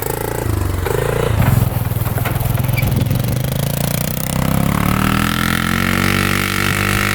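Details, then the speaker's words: 2005 Polaris Sportsman 400 4x4 plow ATV at full throttle in 2x4; single-cylinder drone stutters and chops, revs bouncing as if on the rev limiter, low power; it picks up when throttled gradually. "break up here this is full speed right here so obviously something wrong you hear that breaking up pretty good"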